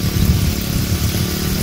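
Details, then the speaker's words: Honda GX35 brush-cutter engine driving a water pump, after carburetor repair and idle adjustment for a no-start: low, steady putter with an even beat, no surging or stumbling; normal idle. "Tốc độ quay cao cũng rất mượt mà. Đây là một phản ứng rất bình thường."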